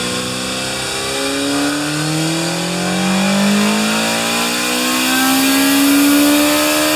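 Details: Kawasaki Z1 bored to 950cc with stock cams and a CR-M29 carburetor, being tuned after engine overhaul (89 ps measured): clean, smooth revs rising and falling with a crisp, even exhaust note, no misses or mechanical noises; healthy.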